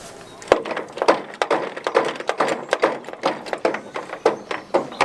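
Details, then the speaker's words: 1992 Bavaria 350 Selden in-mast furling mainsail: pulling the extrusion gives hollow woody clunks about twice a second as it knocks inside the mast, because luff tension is too low. "pulling the extrusion there you shouldn't hear that clunking because it should be tight enough to stop the extrusion hitting the inside to the mass"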